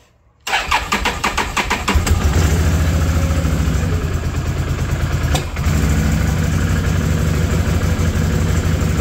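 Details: 2010 Can-Am Outlander 650 Max, first start after fuel pump replacement (pressure up from 20 psi to 51 psi spec): brief crank, then it catches cleanly and settles to a steady, even idle. Normal start.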